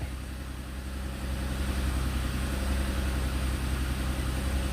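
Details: 2012 Cadillac CTS after repair of a no-crank/no-start fault: smooth, steady low idle with even pace, no stumbles or knocks, no ECM codes; healthy.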